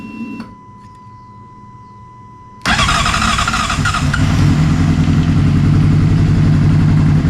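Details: 2007 Honda CBR600RR after oil, filter and air filter service, in neutral: quiet hum, then after priming it catches and fires, settling into a steady run with rising revs; running clean.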